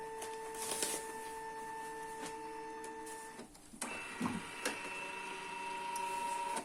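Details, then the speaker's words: Canon MF3010 scanner after reseating the flex cables that caused error E301, scanning via computer: clean steady motor whine as the scan head travels, a click, then a smooth return with no grinding or stalling; scanner working normally. "Սկաներով արած պատկերը, իսկ սկաները սկսեց նորմալ աշխատել, խնդիրը շլեֆներից էին, որոնց հանել տեղադրելուց հետո խնդիրը լուծվեց։"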